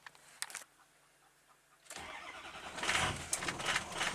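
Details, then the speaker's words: 2005 Ford F250 6.0 Powerstroke on rebuilt oversized injectors (190cc, nozzles 30% over stock): long crank that stumbles and coughs before catching into an uneven, lumpy run; ICP high, IPR 40, power balance erratic, cylinder 3 worst; owner suspects over-fuelling. "Oh, now it decides to run. But at least you'll be able to see our ICP is kind of high, but with it rough."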